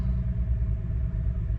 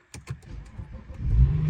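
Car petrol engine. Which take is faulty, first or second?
first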